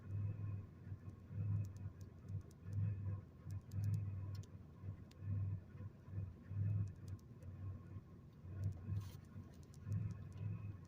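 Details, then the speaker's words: 2001 Chevrolet Monte Carlo LS 3400 V6: idle first in reverse, then rising somewhat in park, still swelling and sagging unevenly; multiple-cylinder misfire codes set, repair pending. "so uh that's how rough she's running when I put it in park there at first I had it in reverse and you know when the video first started is in reverse and then I put it in park and it the uh idle come up some but it you can still hear it you know and that's that uh multiple misfire is what uh the codes are"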